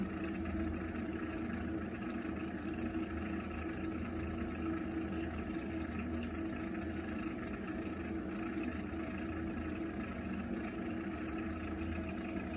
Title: Heating water strange noise problem Viessmann Vitodens 100-W B1KF-19